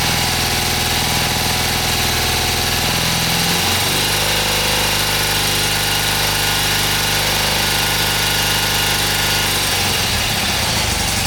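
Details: Freshly restored 1977 BMW R75/7 twin at its first start after restoration, on choke with fresh fuel and the ignition timing just set: a steady, even idle with a smooth beat that settles to a slightly different speed partway through. Normal idle.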